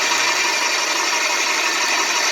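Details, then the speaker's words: Rebuilt Graco 390PC airless sprayer pump (complaint was no pressure, packings suspected) running with the intake in a water bucket to bleed air. Steady hiss and pump chatter, spitting and sputtering with air, no knocking or grinding. "We'll let it run till it bleeds the air. It's spitting and sputtering with the air, so we let go of the trigger."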